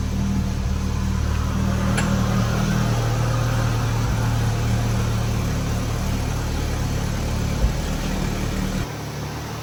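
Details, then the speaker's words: Audi S3 first start-up after upgraded intercooler, piping and new turbo muffler install: smooth, steady idle with an even low hum, no knocks, whistles or leaks; normal idle. "All right, everything's running good. Give her a couple revs."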